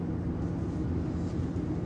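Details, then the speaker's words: RV rooftop AC switched on for the first time after installing a Wacko RV AC silencer: a soft, steady low hum with no rattles or whine. It sounds quite a bit quieter, so normal quiet running. "I'm gonna turn it on for the first time. Oh wow, that's quite a bit quieter."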